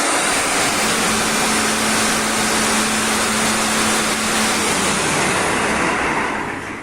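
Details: Fire hydrant pump engine started manually from the control panel (selector M, start 1) during commissioning test: loud steady roar with even running hum that holds constant then tapers; running normally.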